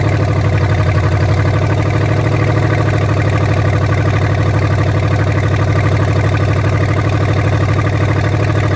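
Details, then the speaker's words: Ford Maverick with junkyard EFI swap, first sustained run after earlier stalling: steady, even low-pitched running with no misses or knocks; engine sounds good. "oh man engine sounds good"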